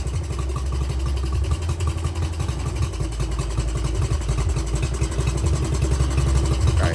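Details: Honda CT70 after timing and valve adjustment: the small single sputters unevenly at idle, with an exhaust beat that varies stroke to stroke; jetting and air-fuel mixture are suspected not right, and it is a little smoky. Rough idle.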